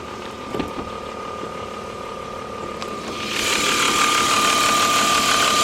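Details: BMW 325is idling: steady high-pitched whine that grows louder as engine revs rise; caused by two faulty remanufactured replacement alternators.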